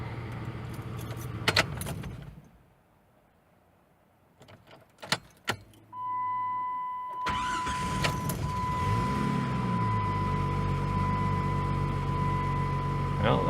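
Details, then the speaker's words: 1996 Jeep Grand Cherokee Laredo, warm, after IAC valve cleaning, which was done for hard starting and rough idle: a short crank catches almost at once and settles into steady idle under a constant chime. Normal warm start. "see if I shut it off see if it'll start back up without cranking forever"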